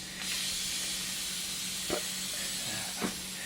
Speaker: what's that noise that's not a good noise that's the leaking nice